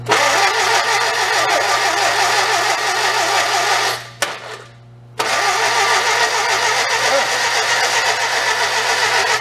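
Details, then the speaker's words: 1955 Morris Oxford parked 33 years, cranked on charger and jumper pack with a battery suspected of a dead cell: steady churning crank with occasional coughs, nearly catching; weak battery holding cranking speed down, engine coughing. "Cough a little. Let's give him another shot."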